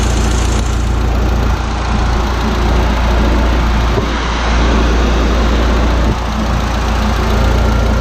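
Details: Audi A4 B6 1.8T freshly rebuilt engine (wiseco pistons, forged K1 rods, temporary intercooler) on first start after assembly: steady, fairly even low idle with a deep rumble, no obvious knocks or ticks as it settles.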